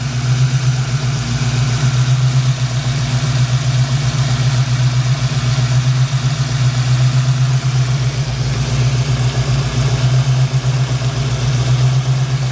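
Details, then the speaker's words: Old blue Chevy V8 warmed up, idling deep and steady with an even low beat and no stumble, firing on all cylinders after earlier misfiring; squeaky alternator quit; owner still suspects a faulty injector and plans to pull the upper intake. "we're firing on all late now isn't that peculiar though an injector does that"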